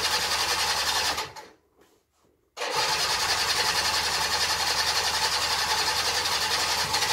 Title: Baotian Rocky 49cc 2 stroke 2010 first start in 3 months.